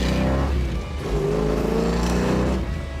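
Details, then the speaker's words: 1970 Plymouth 'Cuda tribute, date-coded '70 Hemi with 4-speed, accelerating with the secondaries opening; deep, even V8 rumble pulls cleanly with no misfire or knock, sounds healthy. It idles on the 350 cfm center carburetor, and the two 500 cfm outboards open at full throttle. "Sounds good. Sounds healthy. It's the way they're supposed to."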